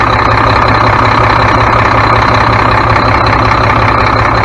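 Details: Mack MP7 diesel truck idling after turbo and actuator replacement, coolant burning off, no major leaks: loud, steady idle with even low chug, no whistle, hiss or knock; engine running normally.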